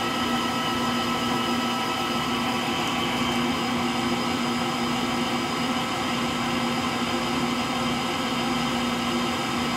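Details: Frigidaire Gallery front-load washer GLTF1670AS1 final spin with bad motor bearings: steady whirring spin, constant low hum and rough gritty rumble at moderate drum speed, likened to a Pratt & Whitney JT8D jet engine.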